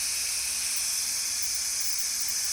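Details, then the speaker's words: Roxor diesel, engine not running: the factory intake boot off the turbo pipe is pressurized with shop air at about 3 to 10 psi. A steady, sharp hiss of air escapes at the boot and pressure won't hold: an obvious boost leak causing power loss. "we can't even hold loose pressure that is an obvious boost leak I don't care what you do that is power loss horrible"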